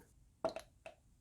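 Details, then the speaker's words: Mercedes W176 A180 turbo wastegate actuator solenoid, removed from car, bench-tested with hand vacuum pump on its intake-vacuum port: holds vacuum without leaking, one crisp click then two lighter clicks as it switches; vacuum then decreases, confirming the solenoid works normally. "As you can see, I apply vacuum and it's not leaking, which is exactly what you want to see. You could hear that click."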